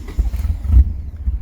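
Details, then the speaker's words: DSM after a new timing belt: lumpy, surging, uneven idle because the shared ground for the coolant, MAP, baro and intake air temp sensors is bad, so those sensors are not working; rough running from the faulty sensor ground. "runs like poo poo dog [ __ ]"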